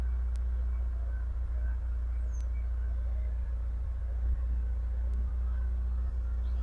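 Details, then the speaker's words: 1971 Rover P6 2000TC, stone cold after a week, full choke, after new plugs and air filter (previously running on about three cylinders): low steady idle with an odd faint stumble; occasional misfire remains, improved but not great; ignition timing still to be checked. "well it's running there's an occasional Miss it's better still not great"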